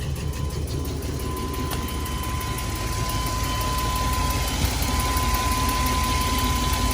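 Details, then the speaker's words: 2001 Chevy Express van, 4.3 V6, ran very rough after sitting nearly 3 years; new spider fuel injector, coil and distributor fitted. About 18 minutes after starting, the uneven idle pulse is steadying and smoke is clearing: rough idle improving. "okay guys about 18 minutes almost there starting to clear up starting to sound a little bit better"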